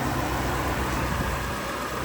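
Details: Salvage-auction vehicle with a 550 V8 that started right up despite deployed airbags, a lit traction control light and a battery popped out of place: a smooth, even idle with no knocks, misses or whines, healthy.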